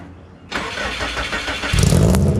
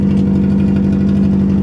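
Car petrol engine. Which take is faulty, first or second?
second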